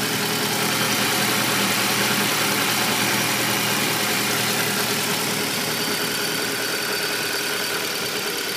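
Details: Audi A4 B7 after an oil change: even idle with a fast, fairly regular tick around three per second over a hissy top end; new engine noise, cause unclear.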